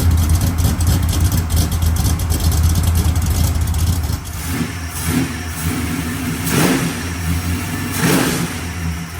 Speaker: Snappy, isn't it? Yeah. God, that thing sounds good.